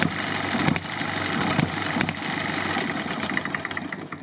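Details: Eachine ET1 upgraded hit-and-miss gas engine, carburetor needle screw one-quarter turn out: quick, uneven popping bursts with coasting gaps between; running as it should.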